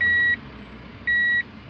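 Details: Tommy Kaira M25TW being converted from automatic to manual: bridging the green reverse wire on the gear-selector plug lights reverse, and two even high beeps about a second apart sound over faint engine hum. The reverse beeper is working again.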